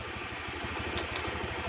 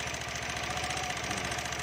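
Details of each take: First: Honda Beat scooter after replacing mismatched variator rollers (three small, three large) with a matched set, test-ridden about 2 km: even, steady single-cylinder thump with no clatter or ticking; smooth normal idle. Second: Honda Beat scooter serviced a week earlier: fast, light ticking over the idle; the CVT variator had mismatched rollers of two different types, causing the noise.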